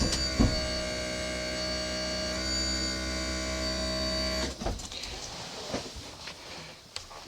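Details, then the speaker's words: Old HWH hydraulic leveling pump on an older motorhome while leveling the coach: a steady electric pump whine with a light rattle for about four seconds, then it cuts off; an old unit, but working normally. "activate HW hydraulics. This is an old unit, by the way. So, a little rattling, but it gets the job done."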